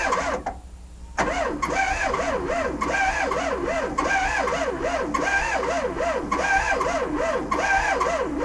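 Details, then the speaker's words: VW Sterling kit car: a 12V engine in a possible 6V transmission whose starter bushing was never changed, so the starter drags on its windings. It gives a sluggish laboring whirr about three pulses per second and cranks slowly without catching. Batteries were ruled out. "I put different batteries in and tried charging it and it wasn't the the it wasn't a battery problem so I found a different starter put another starter in there and now it spins over a little faster"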